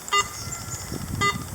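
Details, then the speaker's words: Garrett AT Pro metal detector: two short bright beeps about a second apart with no target, background chatter caused by a loose coil connector that backs off over time in use. "you hear that background chatter what's causing that this right here loose connection for some reason all they keep phrase they see this seems to back off over time while you use it"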